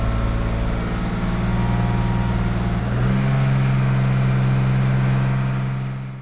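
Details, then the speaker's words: BMW E36 325 Cabrio M50 six, fine at idle, then raised to about 2000–2500 rpm, before injector cleaning: steady drone with a slightly uneven pulse. Owner suspects fuel injectors, unconfirmed. Rough running at mid rpm. "It doesn't sound bad at all at idle. When you raise the revs a little, to about 2000-2500 rpms, that's when you notice it best."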